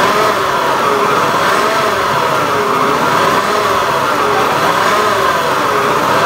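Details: Honda Beat FI eSP eco scooter engine revving, coarse gravelly rasp over the steady drone; rough engine noise when revving, cause not identified.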